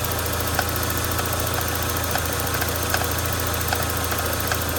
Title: MK1 Cabby Odd Tapping noise